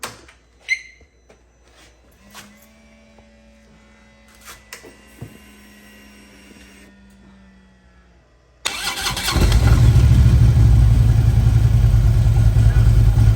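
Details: Motorcycle idling after rattling add-on parts were fixed with a new bolt, tightening and Loctite; the engine fires and settles into a deep, even rumble with no pinging or rattle; runs clean.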